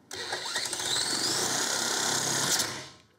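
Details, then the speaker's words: 1950s Ransomes 20-inch Antelope Mk1 lawnmower, 98cc two-stroke, very low compression, started with a drill: fires and buzzes fast and raspy for about two seconds, then dies; starts but won't idle, runs only at full throttle. "oh yeah okay that was quite scary doesn't want to idle let's try that again"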